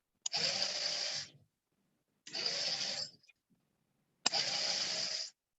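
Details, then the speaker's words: Small relay-driver-controlled robot car gear motors give three harsh, raspy whirring bursts about a second long, two seconds apart, as they start and stop; noisy, gritty gearing, possibly from the car's age; cause suspected, not confirmed. "suaranya berisik ya ngeres suara motor"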